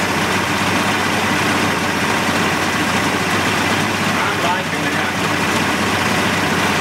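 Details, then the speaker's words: 1988 Mercury 70 HP inline two-stroke outboard on ear muffs after carburetor work, clear fresh gas coming through with slight smoke. Busy, even idle holding steady with no stumbling or surging, running cleanly. "boy the sound of these these inline mercs i just i just love the way they sound and they even sound better out of the tank on ears"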